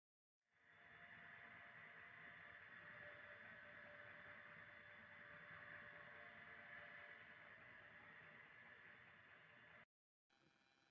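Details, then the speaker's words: Donkey water pump after full rebuild, previously loud with a blackened impeller: quiet, steady hum with a soft whir, no knocking or rattle; running smoothly like new. "ਇਹ ਜਿਹੜਾ ਅਸੀਂ donkey pump ਤਿਆਰ ਕੀਤਾ, ਹੁਣ ਤਿਆਰ ਕੀਤੇ ਦਾ ਵੀ ਇੱਕ ਦਫਾ ਤੁਸੀਂ ਇਹਦਾ ਸਾਊਂਡ ਚੈੱਕ ਕਰੋ।"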